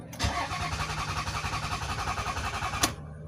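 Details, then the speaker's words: Toyota Sienna: even starter cranking for about two and a half seconds, never firing, then stops; crank-no-start. "So first I'm going to insert the key on the key switch, then I'll crank. You can see it's only cranking but not starting."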